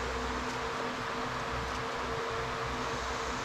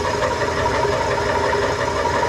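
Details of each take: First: Old Craftsman indirect-drive 120V wood lathe after refitting a lopsided drive pulley and realigning the belt: steady even motor hum, constant tone, no wobble or thump; runs smoothly. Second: Old Craftsman indirect-drive 120V lathe, back in service after cleanup: a steady running drone with a scuffing rub from the belt sitting at a steep angle. Moving the belt one slot over is planned to reduce it.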